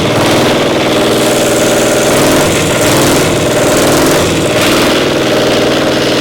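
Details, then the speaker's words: Caterpillar Diesel 70's pony motor after restoration tweaks: loud, lumpy, loping run with no smooth firing rhythm; suspected to be running on one cylinder some of the time, misfire. "Not sure. Sounds like I might be running on one some of the time."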